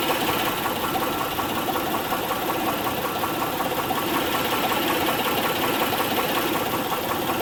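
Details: 2006 Honda Pilot 3.5L V6 at idle: steady, even ticking a bit over once per second above engine hum; valve cover removal found a defective camshaft lobe (plugs, timing belt tensioner, injectors checked fine); camshaft replacement ordered.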